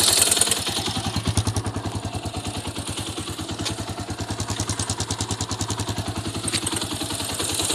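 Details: Honda XR200 single-cylinder motorcycle idling: steady thump with a quick, sharp metallic tick keeping time with it; cause unknown.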